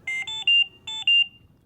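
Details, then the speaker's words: Philips Trilogy 100 ventilator high priority alarm: three quick high beeps, a pause, then two more, while the audio pause button flashes red; calls for immediate response. "three beeps followed by two beeps at the same time that the alarm sounds the audio pause button on the front of the ventilator flashes red"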